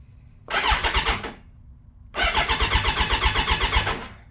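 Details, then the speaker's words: Kawasaki Ninja 1000 starts right up after the faulty starter solenoid was replaced with the original: short crank burst, then quick even pulses of about four a second as it catches without hesitation; normal engine start. "Because now, you hear that? Fires right up. As soon as I replace this with the original one it came with, bike fired right up."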